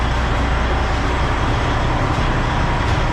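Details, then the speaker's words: Freightliner diesel truck with EGR and turbo issue, restarted after erasing codes: steady deep rumble with actuator noise but no rising turbo whistle; turbo not spooling, failed VPOD control valve on block suspected, codes include turbo compressor inlet temperature. "actually let me start it again okay yeah see now you don't hear the turbo right now"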